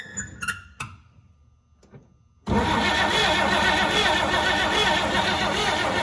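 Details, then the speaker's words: 1949 engine first start in over a decade after no-spark fix, swapping in 1957 distributor and coil, no fuel line connected: clicks, then catches abruptly into strong steady run; runs and sounds good. "since i don't have a fuel line hooked up just enough to let it run it runs and it sounds good"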